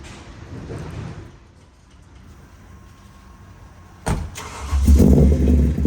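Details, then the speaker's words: BMW E30 with V8 swap, newly converted to Audi R8 coil packs with wiring fixes, not yet properly tuned. Cold engine catches into a lumpy, uneven low idle like a big cam; idle speed too low and being raised. "i know it sounds rough it almost sounds like it has a giant cam in it but once again the engine's still cold once the engine actually warms up the idle smooths out"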